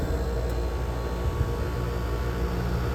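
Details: Unit on a no-cooling call that tripped the breaker: steady deep hum, low rumble, no knocking; compressor running after failing to start, new hard start kit considered.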